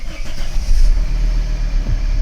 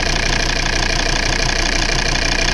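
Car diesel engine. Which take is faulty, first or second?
second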